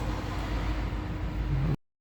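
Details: Citroen/Peugeot 1.6 VTi petrol engine at idle with codes P0351, P0301, P1337: low, lumpy idle with uneven stumble; misfiring, likely cylinder 1.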